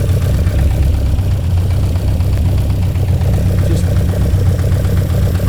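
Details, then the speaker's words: 1966 Lotus Elan at idle, carburettors checked with a listening hose: slightly uneven loping beat, weak intermittent pulse on some throats; carburettors out of balance due to linkage out of adjustment, being adjusted. "Right, that's weak. I can tell that's weak because the pulse is intermittent. That one's okay."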